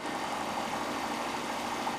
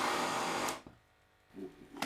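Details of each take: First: Homemade bicycle Stirling engine heated by welding torch, clutch released after push start: quickly accelerates past 800 rpm, fast even whir, steady hum, no knocks; running freely with new linear bearings. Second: Homemade bicycle Stirling engine after adding stainless steel mesh, now 588 rpm versus 326: fast light metallic knocking about three per second each revolution; loose crank bolt suspected, wobble also seen in power-piston shaft.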